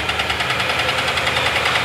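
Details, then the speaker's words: 2018 Nissan NV3500 van, about 60,000 miles, with sludge from lack of oil changes, revved slightly: rapid, sharp metallic knocking rising with speed, a connecting rod about ready to fail. "okay everybody knows what that sounds like and it ain't good sounds like we got a rod about ready to go"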